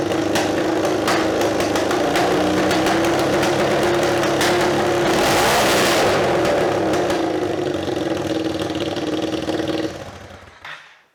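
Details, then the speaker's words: Scrambler build test after a welded alloy insert was fitted in the exhaust end hole: loud, raspy exhaust swelling with revs, sharp pops and crackles on throttle; about 95 dB at idle, about 100 dB revved, 115 dB when popping. "i found out slightly louder yeah what did we get that was like 95 on idle just over just about 100 again sort of as you bought revs up but then again pop in there's 115 right"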